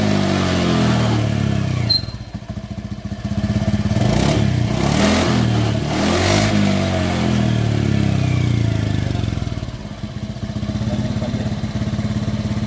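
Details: Honda Beat Fi scooter after a scan tool cleared an EOT sensor fault code and the PCM was reset: a small single buzzes along evenly through several smooth throttle rises and falls with no stumbles or popping. It now revs cleanly.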